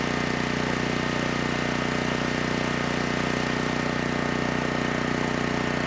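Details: Generac GP6500E generator after repair of seized engine, warmed up, under load up to 6,000 W near max: steady, constant drone with even beat and faint whine, no hunting or surging; held 121 V, just below 59 Hz, no issues.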